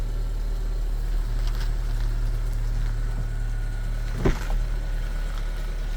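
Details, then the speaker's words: Subaru Outback Wilderness with LP Aventure 17x7.5 +20mm wheels and Mickey Thompson Baja Boss AT 245/65/17 tires, mud flaps removed, full lock in reverse: low steady idle, one brief thump, no rubbing; earlier rubbing came from the mud flaps. "All right, so I think it's safe to say all that rubbing noise, that noise that I was hearing, it was from the mud flaps."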